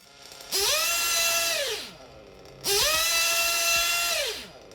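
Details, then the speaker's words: RC 1/8 nitro engine with a good high-speed needle setting: two crisp blips to maximum rpm, each dropping cleanly back to idle on throttle release; healthy high-speed needle setting. "so you can hear that the maximum rpm and then once i let go of the throttle it just drops back to idle"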